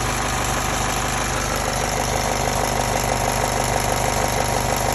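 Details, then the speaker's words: 2007 Honda Civic Si at 292K, not driven in a long time: rough idle with fast regular metallic clatter about three per second, tractor-like, which then goes away; owner suspects valves, unconfirmed. "Alright, well, I think it might be my valves. Ooh, sounds horrible. I haven't driven this car in a long time. Sounds like a tractor."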